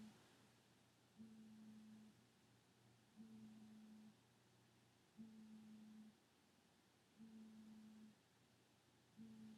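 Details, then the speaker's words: In a quiet apartment room, a faint phone-like low buzz comes in roughly one-second bursts every two seconds, seeming to come from the wall. Source unknown; suspected to be a neighbor's alarm. Intermittent buzzing. "is really weird and also it woke me up at six thirty in the morning when I stayed up late last night and I just want to go back to sleep and the stupid buzzing really couldn't bothering me"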